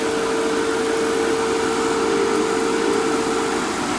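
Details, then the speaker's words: Fieldpiece MR45 recovery machine after oil maintenance, previously noisy from recovering wet refrigerant; smooth, steady mid-pitched hum with no knocking or rattle, compressor running quietly and healthy. "A little maintenance goes a long ways. Look at that. She was sounding terrible. Now he's back."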